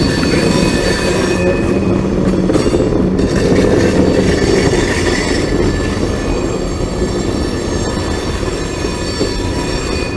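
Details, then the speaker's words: Long train climbing a steep elevated grade on a curve: steady high squeals over rumble and clatter from wheel flanges rubbing the rail, not failing bearings. "hey you can hear the uh flanges grinding on the track it almost sounds like Baron is going bad but it's not this this wheel's rubbing against that side"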